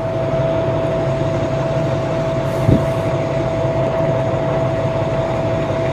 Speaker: let's see if she fires up shall we [Music] it runs and it runs